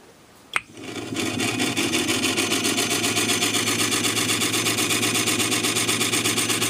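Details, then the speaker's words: Sony TC-252D stereo reel-to-reel tape deck running: soft scraping swish about four times a second under the motor hum, something rubbing each revolution; noise seems to come from the motor, unconfirmed. "it actually sounds like the motor"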